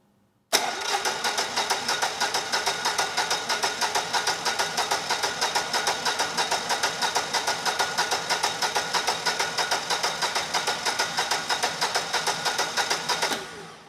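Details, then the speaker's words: Generac XG10000E generator, about 10 years old with only 12 minutes of running, fuel left in the carburetor; choke on, tank full: steady cranking about three strokes a second for thirteen seconds, never catching. No fuel delivery; needle and seat suspected stuck. "and we get no signs of life and we get nothing no signs of life"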